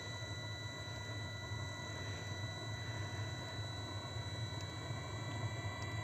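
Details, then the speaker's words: Webasto Thermo Top Z/C-D heater bench-tested on direct power, start-up self-check of glow plug, blower and water pump: steady blower whir with faint sparse fuel pump ticking as fuel is delivered; normal heater start-up. "już słychać jak pompa paliwa stuka czyli sprawdziło sobie że wszystko jest w porządku w układzie teraz sobie pyka pompa podaję paliwo na na"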